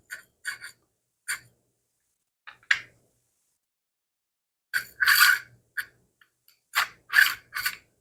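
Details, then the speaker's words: 3D-printed axial flux motor during assembly, with spacers possibly setting the rotor too close: short dry rasping bursts each time the rotor is spun by hand. There is play, and the rotor is scraping the stator. "Yeah, there's some play in there, and I can hear it scraping."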